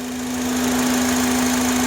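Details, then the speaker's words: 2005 Honda Accord EX 4-cylinder idling, engine bay near the throttle body: a steady high whistle that stops when a hose piece is removed. IAC and PCV valves already replaced. Owner suspects a vacuum leak, unconfirmed. The noise is louder around 30 mph. "Usually when I remove this piece from the hose, the sound stops. So I believe it has to be something with the vacuum, but I'm not sure."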